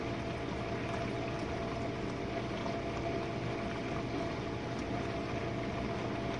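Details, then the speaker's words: Jenn-Air dishwasher on Quick Wash, main wash after the detergent dispenser opens: steady water swish and even pump hum, no grinding or rattling. Earlier low recirculation noises were blamed on suds; it now sounds normal. "And this is the main wash, guys."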